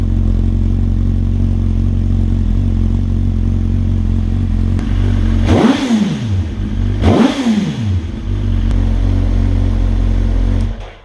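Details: 2007/2008 Suzuki GSX-R1000 after replacing bad fuel injectors that caused a misfire below 8k rpm: test start with steady even idle, two clean revs and no stumble; misfire fixed, engine healthy.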